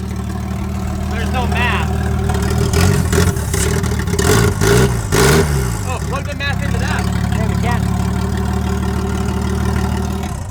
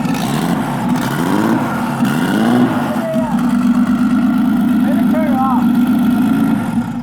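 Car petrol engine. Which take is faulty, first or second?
second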